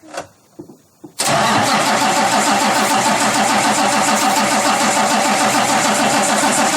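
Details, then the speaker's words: Cummins ISX CM871 diesel after bad injector replaced, fuel system rather dry, key cycled 5–6 times, front 3 injectors never drained: a few dull clicks, then fires at once into steady even idle with clean regular pulses; normal start. "The fuel system's rather dry, but we let it cycle. We let the key switch cycle about 5 or 6 times. And it shouldn't be too bad because we never drained the fuel out of the front 3 injectors on this one."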